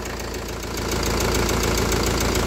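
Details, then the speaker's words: Kia Carnival after repair, warm idle: steady, even and smooth with no misses or knocks; scored liners and 16 weak HLAs (lifters) make it slightly uneven with tapping when just started, but once hot it runs smooth and settled. "tapi kalau sudah panas dia lebih halus ya ini mesinnya anteng ini mesinnya"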